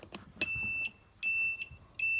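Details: December 1984 Sinclair C5 under restoration, electronics not yet fixed, temporary wiring: three clean high-pitched beeps in steady on-off rhythm, under a second apart; indicator buzzer cycling normally.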